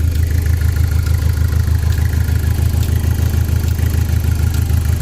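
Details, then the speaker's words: Saturn Sky after replacing the fan control module for overheating: lumpy pulsing idle with regular stumble about three times a second, seems to run on three cylinders; misfire cause not yet found. "So sounds like it's running on 3 cylinders, which makes no sense. All we did was change that little fan module, and now it's running on 3 cylinders."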